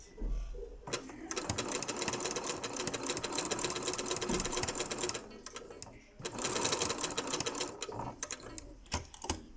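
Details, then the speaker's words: Janome Memory Craft 6700P sewing at maximum speed: fast needle chatter carries an uneven, hard knocking as the bobbin jumps and rattles inside its area. "так сейчас начну шить послушайте как оно стучит и как прыгает шпулька внутри скорость поставила на максимум"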